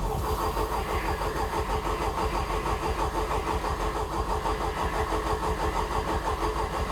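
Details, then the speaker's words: Championship time-attack race engine just installed in racecar, oil pressure up, port injection removed with no map for it: starter cranks steadily but never catches; owner expected no start, cause unconfirmed. "we'll go for the start now but with the fact that we've taken port injection off of the engine and we haven't taken into consideration a map for that i don't think we're going to get the start"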